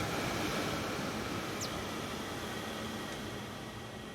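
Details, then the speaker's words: Mercedes Sprinter after replacing the defective blower regulator that kept the blower on with key off: steady airy rush from the blower fan, easing as speed is lowered, no grinding or ticking; normal blower operation. "so this is fixed guys this is fixed the problem was a defective blower regulator so now I can remove my test light let's reconnect the blower itself now let's hear the blower run"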